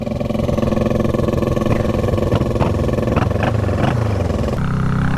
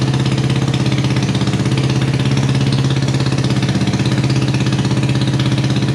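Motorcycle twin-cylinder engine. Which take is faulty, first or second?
first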